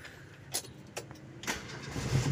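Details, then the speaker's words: 1988 Opel Kadett 1300cc with modified radiator fan wiring so it runs whenever the engine runs, because the engine sometimes overheats: clicks and short crank, then catches and settles into a low, smooth even run; normal start. "Hai suaranya halus sistem estraven nya saya modifikasi mesinnya hidup dipasang hidup"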